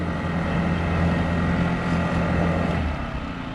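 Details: Honda GX50 50cc powerhead outboard on a Nucanoe Pursuit kayak at idle on the water: steady, even low burble with no misses or stumbles; clean, healthy idle.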